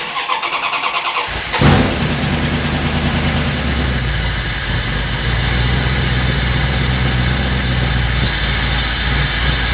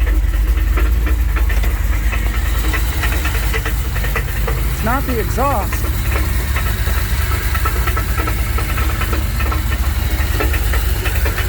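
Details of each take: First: 1984 Dodge D150 with a 360 small block, after repair of banging noises, on the lift with wheels off the ground in the rain; engine catches after a short crank and settles into a steady, even idle with no knocks or clunks; normal idle. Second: 1984 Dodge D150 with a 360 small block V8 at idle, banging began suddenly after a 5-hour road trip; good oil pressure; heavy uneven low knocking about three per second; loose torque converter knock.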